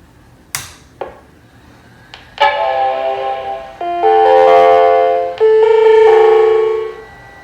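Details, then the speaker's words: Macintosh LC series computer giving sad Mac error even with RAM SIMMs removed, before recap; clicks then warbly, distorted sustained chime tones: distorted startup error chime, owner expects recap needed. "The noise is weirdly distorted."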